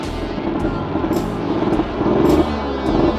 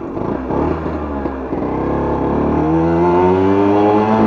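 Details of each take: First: 1963 KTM Ponny 2 (Hercules) two-stroke moped during setup: steady buzzing beat under music. It starts very well with good compression, but runs too rich and the idle is a bit low. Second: 1963 KTM Ponny 2 two-stroke scooter, idle set low and running a bit rich: small two-stroke buzzing and revving with pitch climbing and no shift drop; stuck in first, second gear won't engage.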